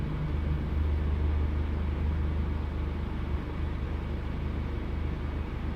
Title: misfires